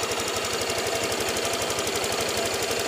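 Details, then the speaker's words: Honda Vario 150 after repair of a rough, noisy engine, idling on a weak jumpered battery: smooth, settled idle with a light regular tick about four times a second, which is normal injector noise. "Yang suara tik tik tik tik nih suara ini ya, injektor ini ya. Nih, nggak apa-apa tuh, memang seperti itu."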